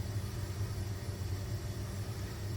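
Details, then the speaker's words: Electric fuel pumps running to fill a newly installed surge tank and fuel lines in an E85 setup while checking for leaks. A steady, even low hum with no surging or stutter: normal operation. "all right fuel pumps running let's check in for leaks"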